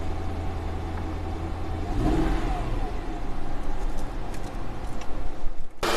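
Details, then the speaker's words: Mercedes E500 V8 just after replacing all 16 plugs and wires for a misfire: idle with faint uneven beat, a slight miss persists; coil packs swapped to see if the code moves from cylinder 3 to 4, cause unconfirmed. "i don't know it kind of sounds like it still has bit of a mess so let's go take her for a ride"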